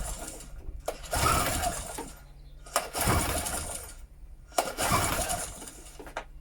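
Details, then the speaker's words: Medusa Compact 950 generator, choke on, switch on, broken fuel tap: three rough pull-cord cranks about two seconds apart with no firing; cranks but won't start, no sign of life with plug out. "no sign of life there with the plug out I'll put a bit of squirt down the old bore see if it fires up that way"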